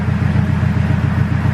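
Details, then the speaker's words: Turbo K24-swapped Acura Integra at idle with Skunk2 muffler and 3-inch exhaust, after fixing exhaust leaks: steady low burble, even pulses, no ticking or puffing, muffler vaping; normal healthy idle, no leaks. "but there's no leaks it's all fixed so as you can see the muffler is vaping"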